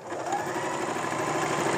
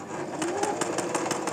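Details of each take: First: Singer sewing machine after cleaning dirt buildup and oiling: even, quick clatter at a steady pace with no catching, knocking or grinding; running smoothly. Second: Singer sewing machine running with a quick, even clatter of about six beats a second and a rough, catching edge, caused by thread tangled and jammed in the bobbin case from running it needlessly.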